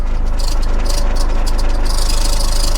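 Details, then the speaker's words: Holden/Chevrolet Epica VCDI diesel, 217,000 km: low, heavy throb surging unevenly at idle, smoothing out when revved; rough hunting idle, owner suspects a failed timing tensioner. "And you can hear whatever that is. I'd say that's the timing tensioner. If you rev it up, it does go away."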